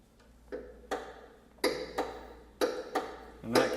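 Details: Bicycle knocking while pedalling after one side of a loose bottom bracket was tightened; the noise persists. Sharp, slightly uneven knocks about once a second. Play in the bottom bracket is suspected, and the other side is to be tightened next.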